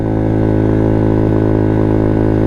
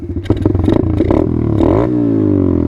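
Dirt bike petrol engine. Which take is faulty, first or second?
first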